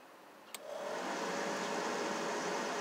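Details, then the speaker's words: Blower motor runs smoothly when jumped directly from the 12 V starting battery, a click then a steady airy rush, but won't run plugged into its harness even after a new blower motor resistor; motor itself is fine. "that motor runs fine but when you plug it back in to the plug-in where it goes it won't run you can hear it running it's running beautiful the motor is running beautiful"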